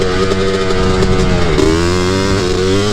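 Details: Honda 250R quad with a 309R kit being ridden: steady high buzzing revs that briefly dip and stumble before picking up again, a two-stroke sputtering because it is running rich.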